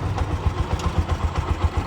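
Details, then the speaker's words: Bajaj BS4 single-cylinder engine, rebuilt about 3.5–4 months earlier, after re-fitting to chase a knock: steady even idle thumping, roughly eight firing pulses a second, no knock or rattle. Trial run confirms it's fixed and healthy. "Okay ಸರಿ ಹೋಗಿದೆ trial ಎಲ್ಲಾ ಹೊಡೆದೆ ಕರೆಕ್ಟಾಗಿದೆ"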